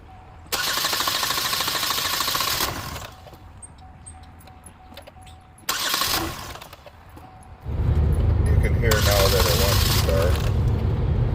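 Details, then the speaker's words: 2015 Chevy Equinox after fuel rail and fuel injector replacement, fuel pump cycled before cranking: cranks briefly, catches cleanly, settles into steady, even low idle with no misses or stumbles; good start. "There you go, a good start."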